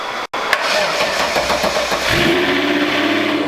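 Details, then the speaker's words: VW VR6 starting after a jump start. It cranks briefly, catches and settles into an even, smooth idle with no stumble, knock or smoke; healthy start. "Such an amazing sound. And still no smoke. Idling smooth. Sounds good, no smoke."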